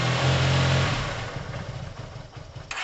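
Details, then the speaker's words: Yamaha TMAX after carburettor clean, second start attempt, cold, no starting fluid, idle screw being adjusted: engine catches, then beat sags to a lumpy uneven putter; idle set too low and unstable. "Fire up again with no revs. Fire. I'd slightly higher it up. It's a bit iffy."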